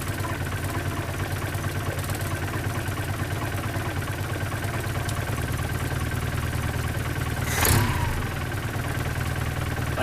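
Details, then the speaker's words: 1972 Datsun 510 with an L20B carbureted engine idles at a steady, slightly raised speed with an even low rumble, stable after the idle was adjusted, before the mixture was tuned. "70 [Applause] 7:53 it's very stable now that I got that done I'll go ahead and try to adjust the fuel mixture setting"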